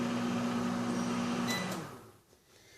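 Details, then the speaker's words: Microwave after no-heat fault traced to a faulty door switch: steady low hum with faint buzz while timing down, then winds down and stops; heating now works, water comes out hot; normal running. "Oh, yeah. I can hear it running. It's timing down."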